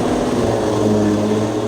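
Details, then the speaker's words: S14.9 drift car with a new 2JZ VVTi engine, first start with everything connected, running through heat cycles to bring it up to temperature before the dyno; a smooth, stable idle, even low drone and no ticking or knocking. Normal idle. "We'll just build a bit of heat into it, get a couple of heat cycles, and everything is working. Up nice and slowly. So good to have this car alive again."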